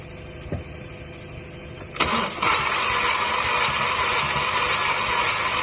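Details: 2007 VW GTI that died on the road after the EPC light came on, following new coils and spark plugs and an oil top-up: the starter spins the engine at a steady cranking rhythm with no firing; cranks but won't start.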